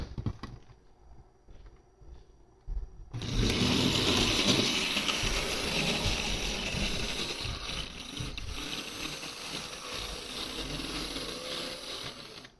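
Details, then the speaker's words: HO-scale model monorail running at reduced power rather than full power: small motor whirr with light even ticking a few times a second; runs smoothly at low speed except on one suspected dirty track section. "okay it's starting to run a bit more smoothly now also it seems to work a lot better if you if you um appli less power to it"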